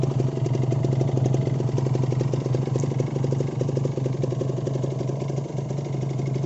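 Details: Kawasaki Ninja 150RR two-stroke after a major service that corrected earlier botched work. Steady idle with a fast, even popping beat, about four pulses a second, with no knock or misfire.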